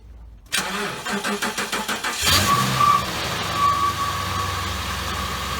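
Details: 2007 Ford Crown Victoria cold start after a spark plug misfire fix: about eight even cranking pulses, catches cleanly, flares briefly, then settles to a steady smooth idle; heavy white smoke cleared after reaching operating temperature.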